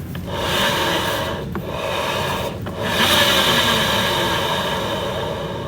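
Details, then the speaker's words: Honda BeAT FI scooter CVT: pulley shaft bearing turned by hand gives a dry, gritty rasp with uneven scratchy surges, worn but not seized; replacement recommended though judged usable for now. "Bunyi dia. Tapi nggak ngekol. Sebenarnya kalau bunyi gini itu disarankan untuk mengganti."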